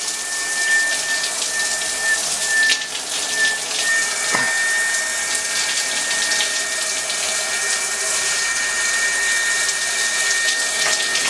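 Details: Steady high whistle-like squeal over running shower water from a brass showerhead, whistling at any adjustment; replacing the showerhead stopped the squeal.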